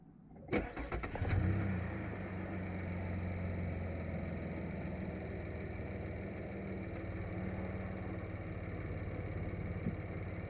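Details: 2017 Chevy Colorado, first start after DIY battery cable replacement with an aftermarket cable: short crank, quick catch with a small rev flare, then a smooth steady idle with no misses or knocks; normal start and idle.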